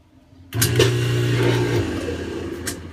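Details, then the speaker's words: Kenmore washing machine on spin, lid switch bypassed: motor and water pump hum steadily but drum and agitator don't turn; failed coupling between motor and transmission, fixed by replacing it. "so let's do this you hear the water pump and the motor running or spinning but"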